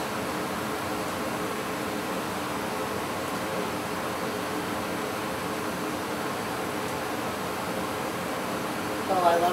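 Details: Goodman gas furnace that would not heat the house, running after its flame sensor was cleaned: a steady, even whoosh of burner and blower with no rattles, surging or clicks. Normal operation.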